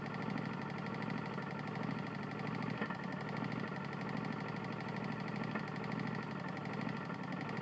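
Small engine running at steady speed with a fast, hard, even knocking riding on every turn, which points to a worn connecting rod.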